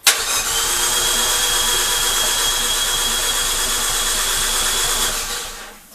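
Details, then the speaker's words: Dallara with swapped Fiat 500 Abarth engine, unrun for over six months: starter spins fast and even with a hissy whirr and no compression beat; no compression, and no fuel in the rail yet. "so you notice what it's cranking it it doesn't sound right something that's got no compression and it fits exactly"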